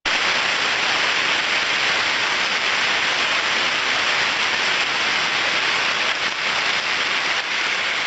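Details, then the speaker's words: Rotating-machine bearing heard through an ultrasonic detector during ultrasound-assisted greasing: rough sound clears to an even, flat, clean hiss, stabilising at 30 dB, showing optimal lubrication reached. "el sonido se ha aclarado muchísimo, empieza a ser limpio, ya no es un sonido, yo lo llamo rugoso, ¿vale? Es un sonido más plano, y entonces sabemos que hemos llegado al óptimo."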